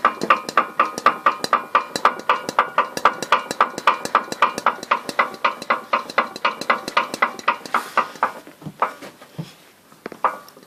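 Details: Engine knocking: sharp, evenly spaced knocks at roughly four per second over a quiet background; the cause is unknown.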